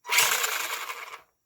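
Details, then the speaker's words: Arrma Senton 4x4 RC truck after replacing a burnt-out stock brushed motor, wheels lifted, forward and reverse: short bright whirring buzz, smooth with no grinding or stutter; new motor running normally. "turn on our receiver and then turn this guy back on and as you can hear everything's running good"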